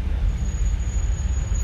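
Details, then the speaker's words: Car driving slowly in traffic near lights, brake pads lightly lubricated but left-side disc lip not cut: thin steady high-pitched squeal over road rumble, then cuts off; pads squealing against the lipped disc. "светофоры это отдельная симфония скрипов очень интересно послушайте"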